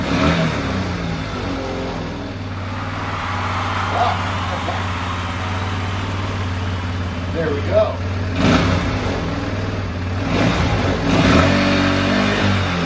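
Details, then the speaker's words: 2015 Tao Motors Snow Leopard 200cc snowmobile, first start after sitting seven years with oil checked full: the small single settles into an even low putter with light blips and no knocking. Normal idle. "this is really cool all right okay so it starts"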